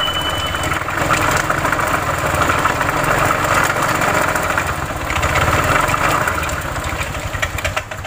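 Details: Honda Vario scooter CVT at idle: uneven clattering and gritty grinding that knocks out of step with firing, from a damaged drive belt and a failed rear pulley bearing caused by a worn roller housing.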